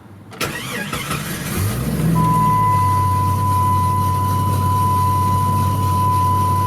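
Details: 1996 Jeep Grand Cherokee Limited 4x4, 4.0-litre inline-six, about 120,000 miles: short crank, catches within a second and settles into a smooth, even idle with a steady low hum; normal start-up and idle.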